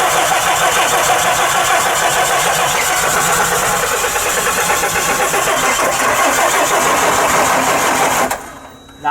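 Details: Bus engine after rebuild, not starting: starter churns hard and steady at about three turns a second for eight seconds, engine never fires; prolonged cranking, no start.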